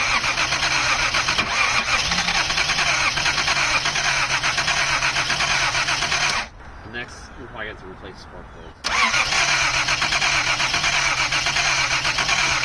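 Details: 1979 Datsun 280ZX after fitting new fuel injectors: the starter spins the engine at a steady churn, pauses and cranks again, but it never catches. Too much fuel suspected, with fuel found in the cylinders; spark plugs were replaced next.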